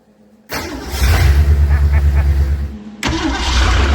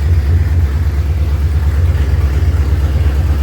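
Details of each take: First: 1970.5 Ford Falcon (Torino) V8 barn find, sat 29+ years with a previously frozen engine, fuel poured in carburetor: starter churns evenly, pauses, then catches into lumpy steady run; slow to start, owner suspects fuel pump pickup delay. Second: 1970.5 Ford Falcon (Torino), first start after 29+ years sitting with a frozen engine; after fuel apparently picked up from the pump, loud deep steady open-exhaust rumble with no knocks or misses, about 50 psi oil pressure; runs pretty good.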